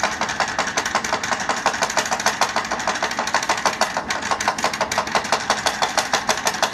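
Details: Powered chair that sounds like a tractor: rough, uneven clattering pulse about three a second with a tinny rattle on each beat from the chair motor; cause unknown.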